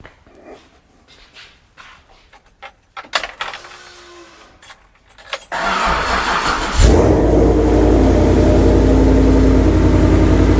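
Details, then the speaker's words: Ford Coyote V8, first start after a rebuild for a spun rod bearing, with new timing chains and no coolant yet: keys rattle, the starter spins briefly and it catches into a smooth, steady idle with no knock or tick; about 80 lb oil pressure, not missing. "so far it's sounding pretty good got about 80 lb oil pressure o she sounds good wasn't missing or anything"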